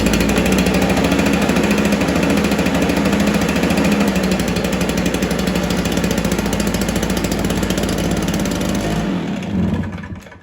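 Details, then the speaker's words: Stihl BR430 two-stroke backpack blower, sat unused for an unknown time, plug cleaned, primed and started on choke: revs hard and buzzy with an uneven rattle, then dies; runs only with choke on, lean fuelling suspected, not confirmed. "try to run for a sec with a choke on I don't know how long it's been sitting for sounds like it wants to run with a choke on"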